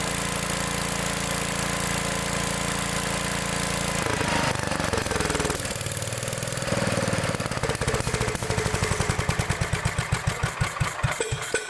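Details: Old Gravely mower started on choke after an adjustment checked with a feeler gauge: cranks, catches and settles into a steady single-cylinder beat that gradually evens out; the engine runs properly.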